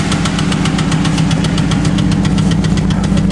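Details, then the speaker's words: Chevrolet Cavalier engine after the lifters were fixed and now have no play; a fast, steady tapping or knocking remains over a rough idle, and the owner suspects a bottom-end problem, unconfirmed. It seems to be running better. "while I fixed the the lifters now they're a little now they got no play but it's still ticking they're knocking or something I don't know I think it's something in the bottom end"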